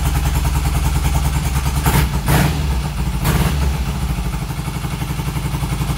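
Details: 1972 Triumph Bonneville T120R twin, stone cold first start after major mechanical restoration from seized wreck, choke on, fuel on, carbs tickled; catches and settles into lumpy choked cold idle, no knocks or clatter; normal cold start.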